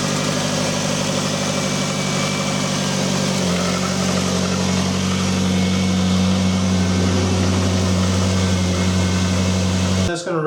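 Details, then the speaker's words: 2001 Ford Escape 2.0L after the fuel pump and filter replacement, started in neutral: cranks right up to a steady, even idle with a smooth low drone and no misses or knocks. "this one up it just sounds pretty good crank right up"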